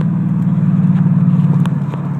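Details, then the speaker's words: 2013 Mustang GT Premium V8 with JLT cold air intake, BBK X-pipe, Pypes catback and an 89-octane BAMA tune, exhaust known to rattle: a deep, even burble at steady pace with no knocks, ticks or misses; it sounds good. "sounds good when she's running let's see what else we can get"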